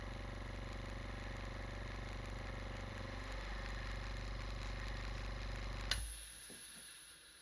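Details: Scrapyard compressor, running after final fitting adapters: oilless motor humming evenly with a smooth pulsing beat and no bearing growl, then shutting off cleanly; sounds healthy.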